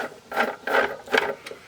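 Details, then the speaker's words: Philco 112K CD cassette boombox, CD player fails while radio and cassette work: short rasping grinding bursts as laser sled won't travel; suspected stripped plastic gear or dirt, laser possibly fine; grinding in CD mechanism. "it's a little bit you heard it we got some definitely got some grinding and it sounds like the plastic gear"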